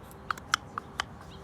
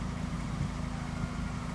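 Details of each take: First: 2005–2006 Toyota Corolla XRS throttle body worked by hand: sharp, uneven dry clicks as the plate catches and scrapes in a worn bore, causing hard or stuck gas pedal and P0505 code; fix is boring/resurfacing or aftermarket throttle body. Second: 2005–2006 Toyota Corolla XRS, fully warmed after the fix for the P0505 stuck-pedal/idle problem: steady low rumble at an even idle of about 900 rpm, with no misses or knocks. Normal warm idle.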